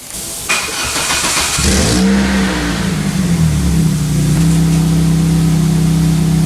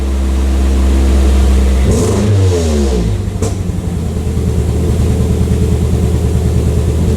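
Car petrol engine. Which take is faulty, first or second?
second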